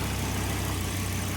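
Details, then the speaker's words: 2002 Volvo V70 2.4T turbo five-cylinder idling after a torn intercooler inlet hose was replaced with a new silicone one. The hose tear had caused a boost hiss and only about 5 psi. Now a low, steady, smooth idle with no hiss or whistle. Normal idle. "Ooh, yeah. All right, let's check it out. Love the way this car sounds."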